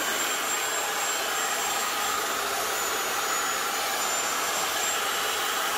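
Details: Old Black and Decker HD 1000 circular saw, made in England, after repair with new lead, cleaned sticky switch and new blade: steady high motor whine with thin constant tone, no surging, catching or grinding, running fine.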